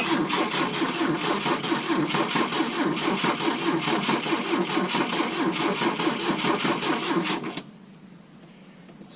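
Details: 1972 Volvo 145 on rigged fuel with vacuum ports plugged: long steady cranking at about two turns a second with uneven beats, never catches before stopping; hard start from cylinders not firing with plug wires disconnected.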